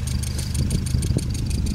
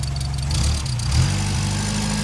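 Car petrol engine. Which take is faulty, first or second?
second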